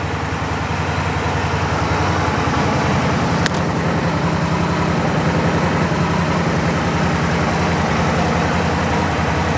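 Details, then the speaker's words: Gen 1 Aprilia Tuono/RSV Mille Rotax V-twin at idle: a lumpy idle with a light dry rattle three or four times a second that goes away when the clutch lever is pulled in; normal clutch noise, not a problem. "That noise there, in my experience, you're not going to have any problems."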